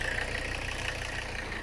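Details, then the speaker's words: Mercedes 300CD diesel: idle lopes unevenly, vibrating more than usual as if one cylinder is weak. Owner hopes it's a fuel restriction or clogged injector. "kind of sounds like there's a cylinder that's not so happy yeah she's vibrating a lot more than she normally does I don't like that"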